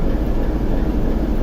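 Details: TEP70 0237 V16 locomotive diesel idling at first start after repair, not yet warmed, run 2-3 minutes, compressor off: deep, even rumble, smooth steady beat, no knocks or rattles, almost no smoke; normal idle.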